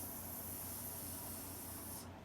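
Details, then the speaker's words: Steady airy hiss cutting off cleanly from a gas cylinder. The fittings were checked with a licked-finger test and tightened, but the leak is at the tank's on/off knob itself. Owner thinks it can't be fixed without releasing the gas. "The actual knob that turns the tank on is leaking. So I don't know. I don't know anything about them. They didn't do enough homework. But you can hear it hissing right out of the top."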